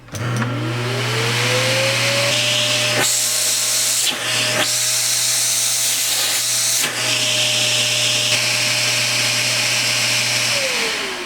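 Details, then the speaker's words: Vacuum with hose removed, running while hand covers the hose port: motor spins up to steady high whine, dips as port is covered, then winds down; good suction, motor normal. "all right as you saw the vacuum has suction"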